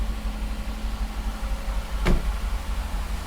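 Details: 1969 Mercedes 280SE, first start in 18 years after mechanical fuel injection pump repair, timing set and an external fuel tank added. Steady, even low idle with no knocks, misses or hunting; it sounds like a healthy engine.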